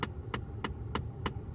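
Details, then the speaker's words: 2011 Ford F-150 with temperature set fully cold: sharp even clicking behind the dash as the failing AC blend door actuator's potentiometer can't reach its end limit; fixed by replacing actuator (YH1933). "hear a lot of clicking this is caused by the current actuator that's in there having a potentiometer it cannot reach the end limit"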